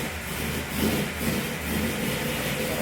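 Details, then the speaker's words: Pontiac Tempest started totally cold after sitting since November, no choke, running lean so the owner blips the accelerator pump: low, uneven idle with a wavering beat and surging level as the throttle is blipped; cold rough idle. "There you go, sitting all winter. Now it's lean, so it needs to be juiced a little bit. It needs to run on the accelerator pump since it doesn't have a choke."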